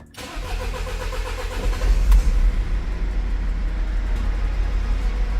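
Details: Mercedes Sprinter diesel van after injector replacement and coding: the starter whirrs briefly, then it catches cleanly and settles to a steady, even idle with a deep low rumble. Stored fault codes were still present.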